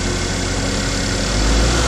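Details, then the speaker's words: 2012 Chevy Equinox first started after a jumped-timing repair with carbon-fouled valves cleaned, with oil added to the engine. A lumpy, uneven low idle just after start; rough idle from low compression on one cylinder, with the oil possibly causing a miss. "it wasn't hitting you know it was let was low on compression on like a cylinder"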